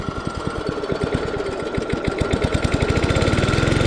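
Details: Early-1980s Snapper six-speed self-propelled mower, pull-started on the second pull: single cylinder pops crisply about ten times a second, picking up evenly as it settles; running healthy.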